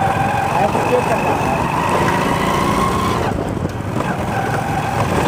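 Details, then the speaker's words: Hero Splendor Plus motorcycle riding on road: thin steady whine over engine and road noise from worn primary drive gear; fix is replacing primary gear behind clutch cover. "अगर ऐसी आवाज़ ए रही है तो आपका primary के खराब है"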